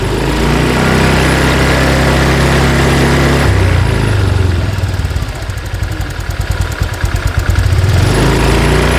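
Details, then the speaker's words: Honda Vario 125/150 scooter after injector fault fixed (was hesitating, weak at low rpm): steady low idle, then smooth climb from 1500 to 3000 rpm with no stumbles or misses; normal revving. "Nah, aman ya, Teman-teman. Sudah normal."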